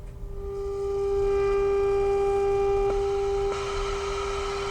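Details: Motorola BT16BN vacuum tube AM/FM radio after repair: clean, steady pure tone without crackle or drift; set receives the test signal properly.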